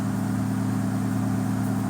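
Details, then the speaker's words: 2013 Dodge Dart 1.4 turbo on factory-tune Uni-Chip, after a boost-loss incident with P0299 and related boost codes; idle just above 1000 rpm, warming up. Steady, even idle with a smooth low hum, no knocks, ticks or hunting; sounds healthier than before. "I'm telling you that sounds healthier it's it has not soun"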